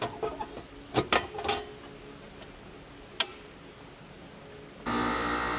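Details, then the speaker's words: 2016 5-ton Rheem central AC condenser after the fan motor was replaced: a few clicks, then the fan spins up to a steady, even whoosh with no rattle or wobble; quiet, balanced, and the wires no longer touch the blades. Successful repair. "and I would call this a successful repair motors running it's quiet it seems balanced no weird noises or vibrations"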